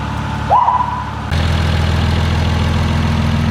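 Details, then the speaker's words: Toyota Supra with freshly rebuilt 2JZ-GTE, first start after reinstall with gearbox on, coil wiring and firing order checked: short whirring crank, then it catches and settles into a steady, even low idle with no knocks or misses; normal idle. "it, guys, the car's running. Supra's finished, complete engine build done, installed, gearbox on."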